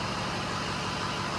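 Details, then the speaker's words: Diesel dually pickup after cylinder head work, first start with the cab down: steady, even idle with no knocks, misses or surging, a little smoke and haze. Runs normally. "as of right now the truck's running"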